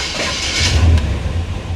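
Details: 1957 Chevrolet Bel Air, cold start in a shop at about 66-68°F: short crank catching into a deep, low, steady rumble with no knocks or misses; normal cold start settling into idle.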